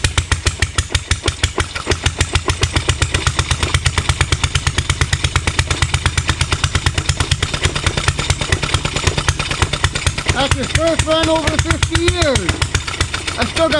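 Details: Rebuilt Stover Duro 1/2 HP upright air-cooled hit-and-miss stationary engine, over 100 years old: quick, even chuffing firing pulses about two per second, steady; running but still needs setting and tuning, sprays oil.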